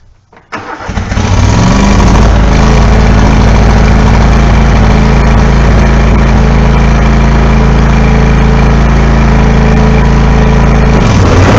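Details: 14-year-old John Deere L130 mower after new deck belt fitted: cranks, catches quickly, steady even run, no squeals or belt slap; healthy.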